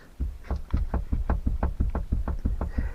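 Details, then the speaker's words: Mazda Bongo campervan while driving. Hollow, uneven knocks about three per second over low road rumble: the rock-and-roll rear bed is rattling loose on worn bump stops, which need replacing. "rock and roll bed, you can hear that. So I need some new bump stops on that."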